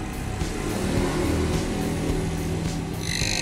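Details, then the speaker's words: Electric water pump running on mains power with the impeller cover being bolted on: a continuous motor hum with rough, uneven scraping as the impeller rubs the cover; fixed by loosening and adjusting the cover bolts. "itu suara gesekan ya kalau ada suara gesek keras seperti ini bisa kita kendoni sedikit nah sampai aman ya suaranya"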